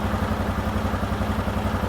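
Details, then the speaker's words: 2018 Odes Dominator 1000 X4 LT twin idling, code for injector 2 malfunction, rpm bouncing; uneven lumpy idle with a loping pulse about eight times a second, running on one cylinder; misfire from failed injector. "oh injector 2 malfunction and that one so let's go on I want to go ahead and check to see what's going on with the injector number two"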